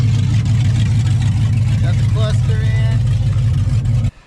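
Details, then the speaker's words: Freshly rebuilt Gen II Ford Coyote V8 swapped into a truck, running with no exhaust fitted: loud, deep, open rumble holding steady with no misses or knocks; runs fine. "Got no exhaust, huh? Yeah, we don't need exhaust though. Hell, let's hear what this thing sounds like."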